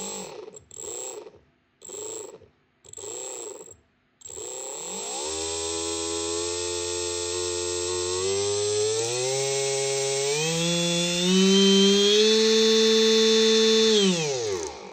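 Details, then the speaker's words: Large scrapyard brushless DC motor running on a 30A drone ESC: the whine climbs steadily in pitch as the throttle opens, then holds clean and even with no rattle or wobble. Healthy, smooth-running brushless motor. "right try this one this one's a sweet well this is fast"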